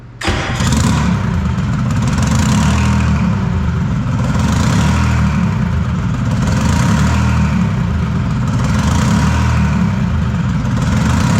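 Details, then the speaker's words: Detroit 3-53 two-stroke diesel after 25 years idle; reversed camshaft corrected, open exhaust, no driveshaft connected, warmed to about 100-150 degrees, small fuel leak found. Fires up and settles into a deep, even drone with smooth rev swells, no knocks or misses. "yeah, she's running really nice. Hook up the drive shaft tomorrow, get an exhaust on this thing, and yeah, it'd be really nice."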